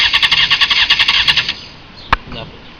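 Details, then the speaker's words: 2001 Honda CBR F4i, 31k miles, after a low-side crash and new spark plugs: it ran about a minute, then shut off. Bank angle sensor, solenoid, fuel and battery checked. Quick starter churning never catches; cranks but won't start. "you can clearly hear that clearly hear it turn I'm just going to switch on and off and this is what I got"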